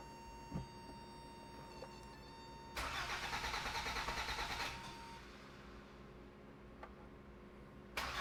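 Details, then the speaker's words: 1986 Toyota MR2 AW11 that stopped running after last season: the starter cranks steadily but the engine never fires. Plugs, wires and vacuum lines were checked; the owner suspects something unplugged or a missed signal. "Okay, so now it's cranking but not kicking over. And I feel like it's probably something that's not plugged in."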